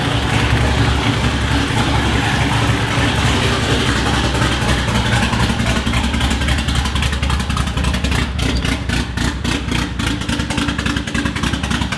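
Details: Mercedes M111 turbo engine, after correcting swapped fuel feed and return lines on the fuel rail: deep, steady, even continuous rumble with no misfires or stumbles; the engine runs normally.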